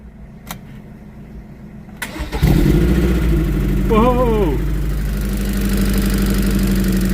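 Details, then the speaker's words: 2000 MGF 1.8, abandoned five years, with fresh fuel added, cranked while jump-powered from a running Mercedes: a couple of quiet clicks, then it catches and settles into a steady, even idle. Normal start and idle. "We are running. That's what he needed. A bit of extra boost."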